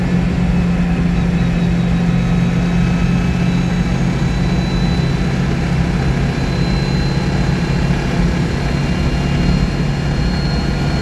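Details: 1962 Citroën 2CV air-cooled twin on a test drive after engine rebuild: low, steady thrum at constant pitch with no knocking or rattles; running smoothly.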